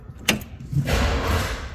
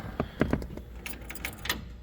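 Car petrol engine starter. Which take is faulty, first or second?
first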